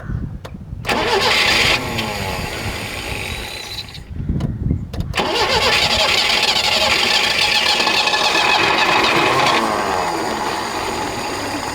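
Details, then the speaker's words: 1976 Peugeot 204, sat in a shed about ten years: starter churns in two tries, then engine catches and runs raggedly and unevenly; owner unsure, suspects no fuel in the float bowl, thick idle jet, or needing choke while cold. Hard starting after long storage. "well it does run it does run maybe there's just no fuel in the bowl not sure"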